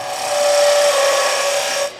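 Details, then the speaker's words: Skew chisel on a wood lathe turning a leg between centers: a thin, steady high squeal over the rasping cut as a deeper pass loads the bevel hard; lighter cuts sound different. "Uh but that's because I'm taking a deeper cut and trying to get rid of wood and it's putting a lot of force on the bevel. And it I can make it louder."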